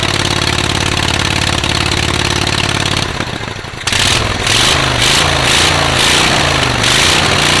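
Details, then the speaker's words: Rusty auction John Deere riding mower, single-cylinder, first start with choke and gas poured in: catches after a sputter, then runs loud and raspy with an uneven chuff; loud exhaust through a muffler with a couple of holes. "muffler's got a couple holes in it so probably not going to be as quiet as we think"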